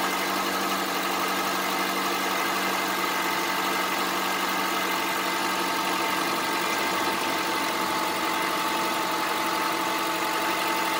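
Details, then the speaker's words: Honda CR-V 2.4 petrol, cold start: steady idle with a loud hard, fast metallic diesel-like clatter on top; owner says it has knocked since nearly new and it doesn't seem to worsen. "Действительно стучит очень громко. Вот, с этим я езжу почти с новья."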